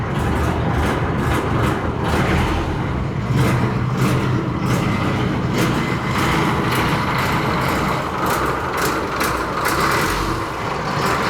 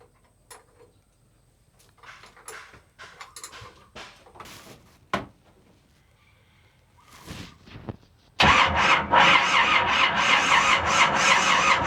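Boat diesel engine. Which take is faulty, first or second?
second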